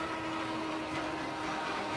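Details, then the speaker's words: 2015 Nissan Urvan, noise heard with the clutch pedal pressed versus released: a steady droning hum with a faint whirring tone from the bellhousing. Diagnosed as a worn clutch release bearing. "Clutch दबाओ य बंद छोड़ो दबाओ clutch बैरंग की आवाज है"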